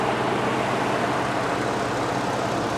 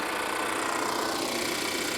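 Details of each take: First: Ford F-150 King Ranch with Motorcraft battery, heard under the open hood with air conditioner cycling and fans turning: smooth, even hum with no knocks, ticks or misses; engine running healthy, normal running. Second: Volvo XC90 at a salvage auction, hood open, idling; steady buzzy mechanical whirr with fine rapid chatter, first mistaken for an air pump; engine seems to run fine but sounds abnormal, cause unknown.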